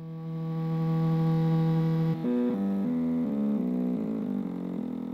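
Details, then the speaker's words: Stepper motor rated at 0.8 A driven by an A4988 driver: a loud tonal hum with coarse steps at slow speed that smooths as speed rises, about 74 dB at medium to high speed. "let's start with the 4988 driver you can hear that the steps are quite coarse with the motor turning slowly"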